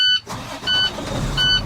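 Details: International 4300 diesel truck with a no-start condition, after battery service: a few repeated dash chimes, then a low diesel rumble that catches and keeps running; it now starts normally.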